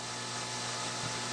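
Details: Philco Model 20 radio during alignment with the signal generator on: steady low hum under a loud even hiss, unchanging throughout; unwanted hum in the set, source not yet found.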